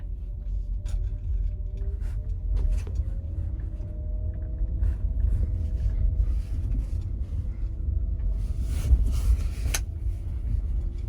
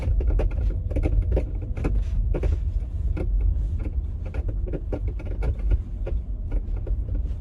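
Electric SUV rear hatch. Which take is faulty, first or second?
second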